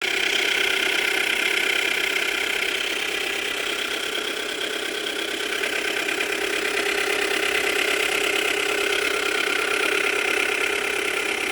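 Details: Subaru Tribeca B9 EZ30 engine, oil level normal: fast, sharp metallic ticking knock over the idle, present from cold and not gone when warm, louder with revs, occasionally clicks and vanishes then returns; owner suspects the tensioners, unconfirmed.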